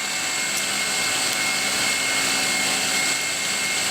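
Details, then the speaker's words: Near-new alternator bench-tested charging a battery, belt possibly a tad loose: smooth, high, even whirr with steady fan hiss and no rumble or rattle; spinning freely and working well. "My belt's probably a tad loose, so I'm going to have a bit of losses here."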